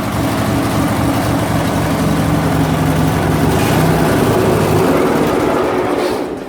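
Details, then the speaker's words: MTD Yard Machine riding mower, 17.5 hp Briggs & Stratton twin, started by jumping the starter directly from battery positive: steady, even putter, no misses; normal running, fault is no ignition power through key switch. "So it will start right up if I jump the starter directly. So that tells me the starter is good. Nothing wrong with the engine, spark, everything is there."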